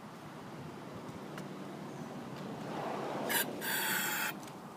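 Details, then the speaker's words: 2000 Toro Recycler 22-inch mower, 6.75 hp Kohler engine, fitted with a used recoil: a couple of quick cord-pull rasps with no firing; won't start, possibly flooded, carburetor to be cleaned. "um it may have flooded itself out so this one's going to need a little more attention i was hoping to at least hear it fire off no go"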